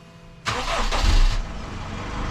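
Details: Honda Accord 2.2 i-DTEC diesel, first start after fuel filter replacement and the priming procedure: short crank, then catches promptly and settles to a steady idle; clean start with no stumbling.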